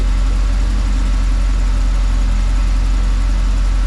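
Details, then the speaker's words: 1988 Chevy Camaro IROC Tuned Port Injection V8, warmed up about 6–8 minutes: deep, even idle with no hunting, misfire or knock; much smoother, timing holding rock solid at about 16 degrees, oil pressure normal. "all right so you hear the idle here a lot smoother and now my climbing is Rock solid at like 16"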